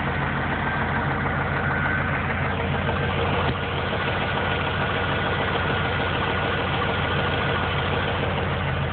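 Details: Engine knocking at idle about three times a second, quick and even with engine speed; noticed about 4 months after an oil change with low oil level. Owner suspects lifters/heads, mechanic says rod knock; unconfirmed.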